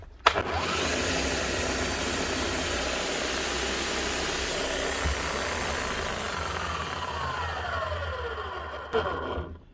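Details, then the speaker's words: Bosch GSH 11 E demolition hammer, 21 years old, before repair: the motor spins up with a coarse, gritty rumble, very rough at the motor end, then runs down rough; bearings gone, with no brush sparks; worn armature bearing. "that's rough so there's bearings gone on this but the main thing is there's no sparks so hopefully the Armature is all right very rough sounding down here"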